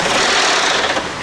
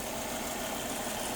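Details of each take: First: Volvo turbo five-cylinder, about 200,000 miles, first start after new coil packs and plugs: harsh rapid grinding clatter like a grinder right after start-up despite oil being checked; timing belt has jumped teeth, low oil pressure first suspected. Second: Volvo sports car with about 200,000 miles, revived after sitting, running after five new coil packs and OEM spark plugs: quiet, smooth, even idle with a soft steady hum and no ticks or knocks. Engine sounds healthy.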